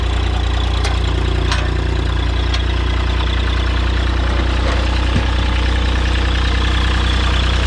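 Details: New Holland LS140 diesel skid steer, cold start after 2+ months unused (glow plugs, battery and relay replaced last year), warming up: steady, even idle with deep unbroken rumble and normal clatter, no misses or knocks. Normal idle.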